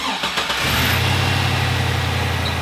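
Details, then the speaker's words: GM Vortec V8 with 180,000 miles, running lean with about 20% added fuel trim on both banks: steady idle with faint occasional light lifter ticking and no sound of a vacuum leak; worn lifters. "You hear a little clicking here and there from the lifters. I mean, it's got 180,000 miles on it, so they're somewhere."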